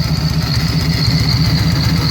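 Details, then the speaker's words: Supercharged 2013 Victory Cross Country V-twin started after sitting nearly two years, after replacing plugs, ignition coil and a front plug wire that had fouled the front plug: steady, even loping idle with no misses; blow-off valve whistle noted. "have a change the plugs change ignition coil but she's running okay now she's always been a little bit of temperamental and cold hard to start when she's cold"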